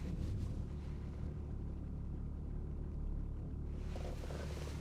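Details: BMW E34 525tds diesel after repairs, temperature gauge at mid-scale: low, even diesel rumble with a steady beat and no knocks or misses; runs smoothly and healthy.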